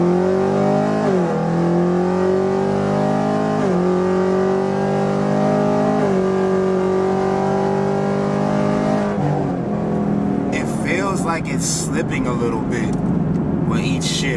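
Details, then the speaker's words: Chevrolet with 10-speed automatic on a hard pull: engine pitch rises and drops at each shift about every 2.5 seconds with revs hanging briefly; owner suspects the transmission slipping, shifts inconsistent. "I don't know if y'all can hear that like the Rev hang but it sounds almost as though the trans is slipping a little bit"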